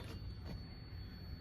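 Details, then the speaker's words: Jeep Cherokee XJ with ECU no. 252, before repair, no start: check light flashes once, then steady electric fuel pump hum runs on without shutting off; shorted ECU keeps pump powered. "มีไฟกระพริบกระพริบนึงนะครับแล้วก็เสียงปั๊มติ๊กก็ช็อตทำงานค้างนะครับคล้ายๆกับใบแรกครับเสียงปั๊มติ๊กยังดังยาวอยู่นะครับก็คือกล่องมาช็อตทั้งคู่นะครับ"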